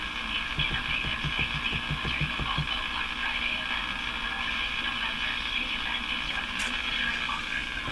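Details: Crosley Model F-5 tube radio, warmed up, with a hum problem: output is hissy, warbling, broken-up garbling that never clears into clean audio; distorted reception, fault not yet found.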